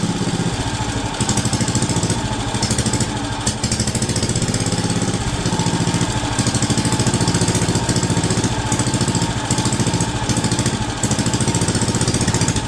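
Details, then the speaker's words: WW2 Wisconsin AB military Signal Corps generator, last started about 70 years ago, runs healthy after revival: a steady, even single-cylinder thump holding speed as the governor actively works, with no clunks or misses. "that sounds amazing and the governor the governor is actively working in the back that sounds amazing no clunking no weird stuff going on it is running fantastic"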